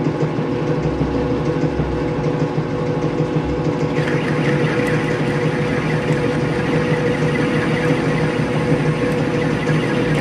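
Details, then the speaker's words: Craftsman/Atlas 12-inch lathe after spindle preload adjustment and relubing, taking a cut: steady motor drone with smooth, even cutting, chips coming off nicely, no jumping, chatter or screech; normal lathe cutting. "very nice it's crawling them chips up nice there's no jumping there's no screeching that's just what i was looking for so"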